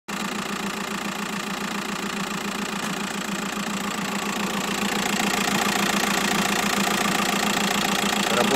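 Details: 2006 used car at steady engine idle: a light, regular knock about three and a half times a second rides on top of the idle, identified as a knocking crankshaft pulley damper.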